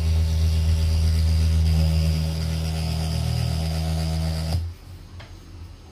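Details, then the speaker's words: JBL Charge 2 Plus portable speaker with a bad driver, swapped channels to isolate it, playing a tone: low steady note with fast rattly buzz; driver is rubbing, a bent lead touching the cone. "something's definitely rubbing in here the speaker disconnect the good one place this one"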